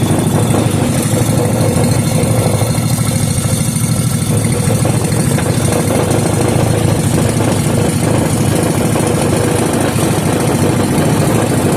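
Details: Incomplete 5 hp Briggs and Stratton single-cylinder engine, rebuilt and restarted. Steady, even putter with a deep low thump, no knocks or misses; only some WD40 smoke burning off the muffler.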